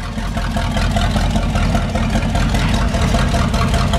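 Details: 1978 motorhome 440 big-block V8, unrun for years, for a 1974 Plymouth Cuda, on custom run stand warming up, throttle blipped, not overheating: deep, loud, steady lumpy idle, no knocks or misses; normal idle.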